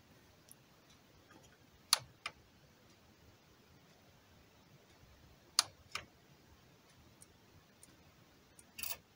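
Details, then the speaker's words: Samsung V6700 DVD/VHS combo, DVD tray won't open: faint paired clicks seconds apart when switching on/off as mechanism tries and fails; open/close command received but tray doesn't move, cause suspected in tray mechanism. "Allora quando faccio questo rumore qua quando faccio on off si sente un rumore strano"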